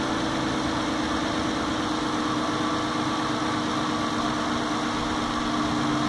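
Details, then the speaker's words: New 2016 Dodge Grand Caravan 3.6L VVT V6 with about 7,000 miles at idle: it quiets down about 20 seconds after startup into a steady, smooth hum with a faint slow ratcheting tick underneath. Normal and healthy. "you can hear you know about 20 seconds into starting up it it really quiets down there is like a ratcheting or a clicking but it's pretty quiet pretty slow"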